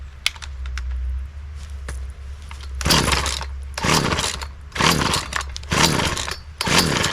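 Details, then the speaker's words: Poulan 2150 chainsaw, sat unused for quite some time, after new fuel filter, primer bulb, fuel line and spark plug, primed with choke out: repeated pull-cord rasps about once a second, no catch. Failed start; a leaking carburetor later found. "and so as you just saw that was the first attempt in trying to start this up now after doing some digging and really seeing what the next steps would be for this I found out that there was a leak in my carburetor"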